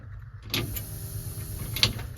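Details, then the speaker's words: 1975 Ford F-100 at key on, heard from inside the truck: a couple of clicks, then a faint steady low hum as the newly wired electric fuel pump primes normally, feeding a carburetor; no pressure on the gauge yet. "So, that should be getting 12 volts whenever turn the truck on. And we should hear the fuel pump kick on."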